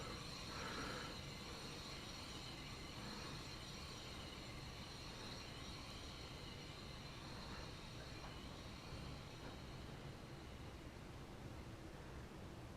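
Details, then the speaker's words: Truck wheel bearing repacked with Archoil AR8100 grease, reassembled and spun: even steady spin-down, no grinding, rumble or ticking, coasting much longer than with Lucas grease; smooth wheel bearing spin. "I'm speechless. That was a lot longer than the Lucas."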